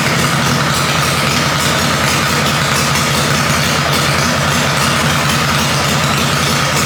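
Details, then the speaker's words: Harley-Davidson Panhead chopper after top end rebuild, idle after taking more ignition timing out: loud steady loping idle, even beat, no miss or knock; engine likes the timing change, runs normally. "as you can hear it definitely like that timing change um I'm just going to have to ride this thing see what it really likes"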